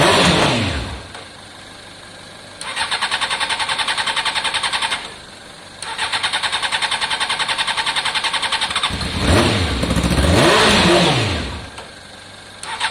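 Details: Honda CBR600 F4i fuel-injected, crash-damaged seven or eight years ago, non-runner, after injector cleaning with fresh fuel; starter whirs in long even bursts, engine never fires; crank no start, fuel pump suspected, possibly in tank, not heard priming.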